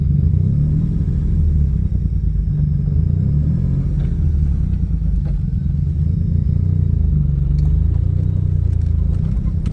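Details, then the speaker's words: 1982 Grand Prix with a turbocharged, cammed 3800 V6, T56 Magnum and Holley EFI, back home after a 1500-mile trip, idles loud and lumpy with a deep uneven chuff from an exhaust leak that has gotten very bad. "Finally made it back home here, and as you can hear, that exhaust leak has just gotten so bad."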